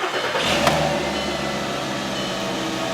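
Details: 2007 Volkswagen Jetta 2.5L after repairing crank-no-start with no ECM communication, caused by broken wire and missing power supply; starter catches quickly and settles into a steady even idle; normal start.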